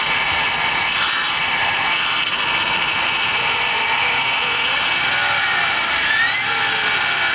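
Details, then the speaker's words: 2006 GMC 5.3 V8 first start after sitting about four years, rusty with dipstick rotted and an exhaust leak; loud, rough, rattly, clunky running with a clattering edge, cause unknown. "whew does not sound too healthy boys very rattly and clunky"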